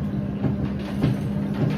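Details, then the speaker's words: Newly bought washing machine during a wash: dull low thump about twice a second over the drum hum, not present when new; knocking, cause undetermined. "खट खट की आवाज़ आ रही है ना। जब हम लेके आए थे तब ऐसा कोई प्रॉब्लम नहीं था, बट अब आई डोंट नो ये क्या हो रहा है, क्या प्रॉब्लम आ रही है।"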